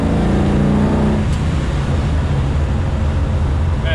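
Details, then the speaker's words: Chevy Nova after throttle fix, full-throttle roll on the freeway: deep, steady engine drone pulls evenly over road rumble with no stumble or cut-out, intake air whistle audible; throttle body still suspected of going bad, but it now drives normally. "This thing actually drives like it should now. You can just push on the throttle and you can just go."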